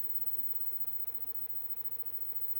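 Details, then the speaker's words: Sony Trinitron KV-8100 CRT TV, bought dead, powered from a bench supply at 24 V with reduced current: faint, thin, steady flyback whine over soft hiss; high voltage is up but there is no picture, so the fault lies elsewhere. "so I hear the high voltage the high voltage is on but there's no picture so there's definitely some issues going on here"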